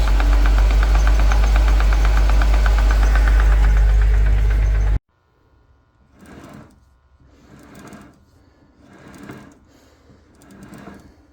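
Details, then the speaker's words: 1988 Ford F-150 with M5OD transmission, engine running, clutch pedal down: fast, regular rattle about three to four per second only when the clutch is disengaged; persisted after new throwout bearing, clutch and bearings; owner suspects loose gears or idler shaft. "now this noise it makes whenever only whenever the clutches disengage I reuil the transmission trying to get rid of it"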